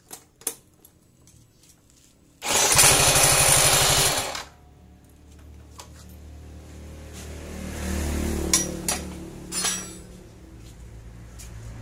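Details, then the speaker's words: Yamaha scooter engine (X Ride/Mio J/Mio M3/Mio S) after setting intake and exhaust valve clearance to 0.06 at TDC, revving in bursts then settling to a smooth, even idle with no rough ticking; valve setting correct. "นี้เพื่อความราบรื่นเสียงครับพี่หมายความว่าการตั้งวาล์วของเราถูกต้องแล้วนี่ก็น่าฟังด้วยไม่หยาบเหมือนเสียงจั๊กจี้"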